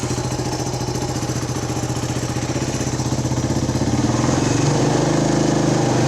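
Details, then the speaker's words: 1979 Honda XL125S single-cylinder dirt bike idling just after a valve lash adjustment, started with the choke then run with the choke off: an even putter at about three beats a second that firms up as it warms. It runs pretty good, a normal idle. "idle choke is off Run's pretty good"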